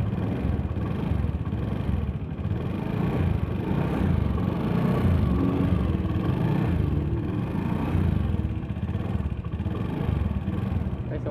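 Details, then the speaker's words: Honda Beat FI scooter engine, late oil changes and oil running out: steady idle with a fast, rough ticking clatter at every turn; mechanic suspects a scored piston, before teardown. "Masalah pada bagian mesinnya ya. Mesinnya itu suaranya itu kasar, kemelitik."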